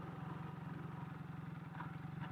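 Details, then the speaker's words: Kawasaki KZ440 with single carb, once warmed up after a noisy cold start: steady even low thump at idle, no rattle or tick standing out, quieter than when cold; owner still plans to check valve clearances. Normal warm idle. "because now it sounds good foreign chains always sound like they're gargling marbles oh look at a nice nice Idol going on right now"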